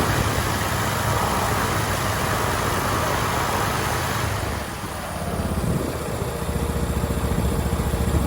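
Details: Husqvarna YTH21K46 riding mower with a replacement Briggs V-twin, after a new carburetor seal kit to cure severe flooding: even, steady putter with a brief dip that recovers smoothly, idling cleanly without loading up; no flooding, problem fixed.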